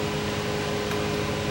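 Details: Sony TC854 4-channel reel-to-reel deck damaged in a fall, reel hub pushed in. A steady rushing drone with a low hum and no beat while the deck runs. Constant rub from a bent reel hub shaft touching its bracket.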